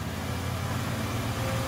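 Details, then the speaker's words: Engine held at about 2000 rpm, heard at the tailpipe: low exhaust note stays lumpy with uneven pulse, like one cylinder dropping out; misfire persists at higher rpm, so vacuum leak doubted; cause not confirmed. "so when you guys were in there you held it at two grand and it still feel real rough to you i could hear it at the tailpipe it sounded like it to me too"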